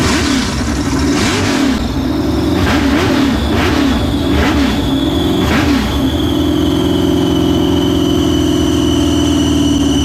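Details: New LS 383 V8 in Deathwish on break-in oil, first fire-up: uneven rev blips, then a lumpy, wavering idle with a rising whistle on top. Rough idle from running very rich; tune not remotely close yet.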